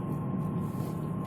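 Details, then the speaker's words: Mercedes W210, 6-speed manual, rear-drive, cruising: faint steady whine-whistle from underneath near gearbox at certain speeds, regardless of gear, clutch or neutral; centre bearing replaced twice, so owner suspects a wheel, gearbox output or rear-differential bearing. "Такой он еле слышно и подвывает, подсвистывает. И причем не на всех скоростях вот. Да? Независимо от передач, независимо от сцепления, нейтралки, то есть он постоянный."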